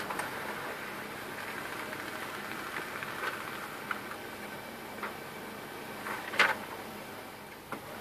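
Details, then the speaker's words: HP LaserJet P1102 laser printer after repair of a loud grinding noise in the gear box, running with covers refitted: soft steady whir, odd light tick, no grinding; normal operation. "Printer is OK and working fine, there is no noise now."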